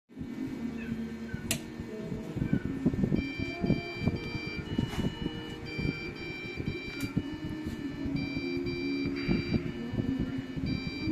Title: how to fix PC it is beeping Non stop and won't turn on, appreciated the Answer Thank You